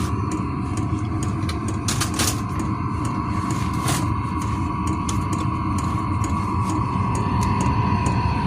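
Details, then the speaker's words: 12-volt diesel air heater run off a marine battery to heat a workshop; a steady low burner roar with a faint fan hum, unchanging throughout. Normal combustion. "You can hear it burning. It is a cool little heater."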